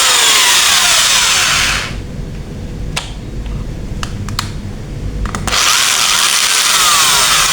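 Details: Modern M2130B electric drill, dead before, repaired and tested in both directions: screams up to a high even whine, drops off briefly with clicks, runs up again smoothly; healthy.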